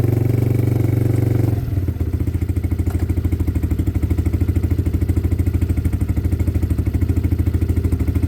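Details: Weathered motorcycle from Wales, warmed up a minute on its stand with clutch and side-stand switches disengaged: revs drop to a steady, evenly paced idle with regular firing beats and no knocks or rattles; healthy.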